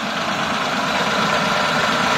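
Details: Hyundai Eon after fixing low pickup, mileage drop and misfire plus new Continental fan and AC belts (old ones squealed): even idle, steady mid-pitched whir, no knocks or stumbles; running smoothly.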